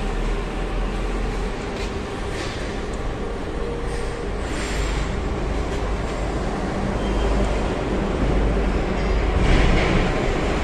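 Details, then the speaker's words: Isuzu NQR 5-ton diesel truck after a faulty sensor was replaced and codes cleared; before that it was hard to start, shook, ran weak and showed the engine warning light. A steady, even low rumble with no stumble: a normal idle. "thì xe nó sẽ trở lại trạng thái bình thường và đề sẽ nổi bình thường nhé các bạn về xe chứ không còn rung giật và đề khó nổ nữa"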